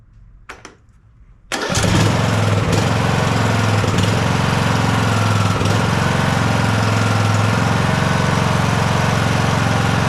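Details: John Deere S100 riding mower with 17.5hp Briggs & Stratton Intek, started after annual service (oil change, new fuel filter, spark plug, air filter): cranks briefly, catches at once, settles into a smooth steady run with no misses or knocks; normal running.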